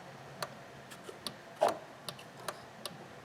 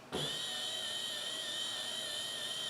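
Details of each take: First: High-mileage Honda Accord with no wipers, key on, wiper switch cycled between high and low: sharp irregular clicks about twice a second from a box, with no motor running; failed wiper motor, relay clicking only. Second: 2005 Honda Accord, 3.0, high mileage, after replacing the wiper motor for a no-wipers complaint: steady high-pitched electric whir holding even speed on high, no grinding or clunks. Normal wiper motor operation.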